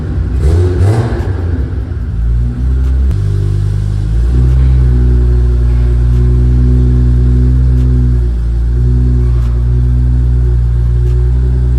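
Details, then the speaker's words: Big-turbo Supra on ECU Master Black Series, drive-by-wire, fuel tables dialed in with air-fuel ratio sensor, first start-up before first drive: deep even rumble rising through several strong throttle pulls with crisp response and steady firing; normal revving. "go fuel tables are all dialed in now with that air fuel ratio sensor reading running good super responsive with that drive by wire it's like super responsive it feels so good"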